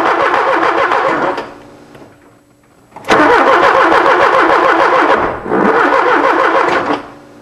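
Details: 1979 Porsche 924: three bursts of even cranking at about three and a half strokes a second that never fire. Cranks but no start; owner suspects not enough spark or not enough power.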